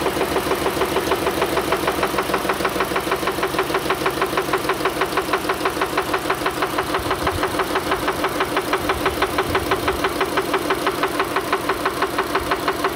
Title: engine noise